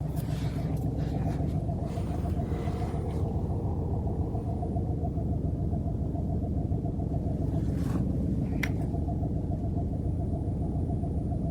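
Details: 2020 Ford Focus MK4 1.0 120 hp at idle: steady low idle with a faint, fast rhythmic chatter about two per second; owner suspects the water pump; abnormal noise at idle, source unconfirmed.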